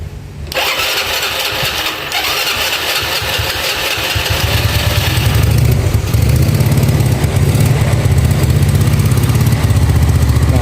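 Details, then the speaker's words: Yamaha Nouvo carbureted scooter with tight valve clearance, before the needle jet swap to a stock Yamaha part: ragged, uneven stutter at start and mid throttle, revs slow to fall back, running lean-ish; stumble on acceleration. "bisa denger ya di sini dia agak Brebes ada Brebes ya di awal di tengah juga brebet ya cuma brebetnya nggak nggak basah banget tapi kalau kita gas turunnya dia lambat ya turunnya lambat dia ya jadi seperti keiritan"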